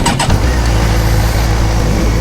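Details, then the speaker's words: Suzuki GSX-R 750 motorcycle on new tires, cold start with clutch held in: quick crank, then a strong, steady low burble as the engine fires and holds a healthy idle. The check engine light is on. "all right let's get a cold start so weird having a hold hold the clutch and then start the"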